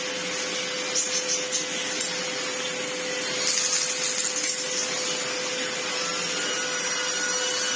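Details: Old red Sebo C2 Total vacuum on max power after airflow restriction cleared: steady high whoosh of strong airflow with constant motor hum, no rattles or surging; turbo head spins fine; normal running.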